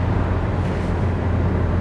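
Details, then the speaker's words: Used-car test drive, engine revved into the higher range through a couple of gears: strong steady drone, no roughness, misses or knocking; engine revs nicely. "give it a bit of a whiz that sounds good you know the engine revs really and nicely"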